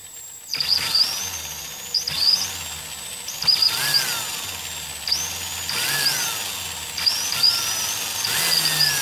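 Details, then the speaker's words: Milwaukee 0435-1 3/8" 12 V cordless drill, circa 1995, with a broken selector switch, before trigger replacement, on an M14 battery via adaptor: whine surges then sags at part trigger; full speed works. Erratic speed from a faulty trigger switch. "It seems to not, seems to be something wrong with the trigger. We'll run it the other direction. Full bore seems to work properly, but the in-betweens, it seems to jump up and then kind of die down."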